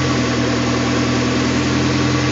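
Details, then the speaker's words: 2001 Honda CR-V 2.0L at idle during a manifold vacuum test. Vacuum was low until the exhaust was opened up; it now reads almost 21 inches, "much happier." Steady, even idle with a firm low rumble, a slightly loud exhaust edge and no misses. "Almost 21 inches. That's much happier."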